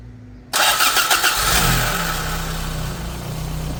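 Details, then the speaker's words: AE86 with Blacktop 20V engine swap and trimmed-to-fit radiator: cranks briefly and catches at once, then settles into a steady, even idle with no misses or knocks; fires up well. "happens she fires up pretty well huh"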